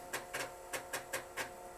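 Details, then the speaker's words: IBM XT 5160 booting after replacing the two bad tantalum capacitors on the floppy controller: crisp, evenly spaced floppy seek ticks, about five a second, over a quiet hum; the drive steps cleanly and reads normally. "And it boots. Well, that was kind of interesting. Never had this happen before."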